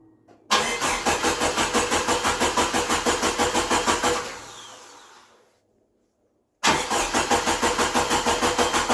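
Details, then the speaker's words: 1988 Jeep YJ abandoned for years, first start after new fuel pump, new fuel filter, blown-out lines and cleaned injectors: catches quickly, steady beat about three a second, dies, restarts cleanly; runs, but major fuel leak at pressure regulator. "whirl oh we got a major fuel leak at the regulator but other than not success that's awesome"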